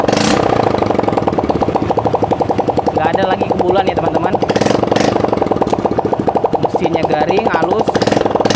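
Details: Yamaha Mio J scooter idling after a repair for white exhaust smoke: quick, even putter with no misses or knocking, engine smooth and healthy; normal idle.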